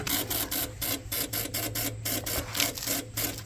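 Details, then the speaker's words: Generac 16kW standby generator, no start after power outage, first manual start attempt: rapid raspy buzzing bursts, about three a second, over a steady hum with no cranking; starter relay chatter, owner suspects relay or dead battery. "No crank. What in the world was that? It sounds like a starter relay, or maybe the battery really is dead."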